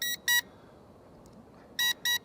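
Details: Eachine E511S foldable GPS drone on first flight, cold day, about 150–200 m out with video feed lagging and lost: short high-pitched paired beeps every ~1.5 s from the controller, a warning; cause not confirmed.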